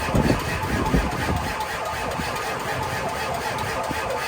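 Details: Ford 7.3 diesel, 3/4 tank, no wait-to-start or check-engine light seen: starter cranks steadily at about ninety beats a minute but never fires; more jump-box power tried.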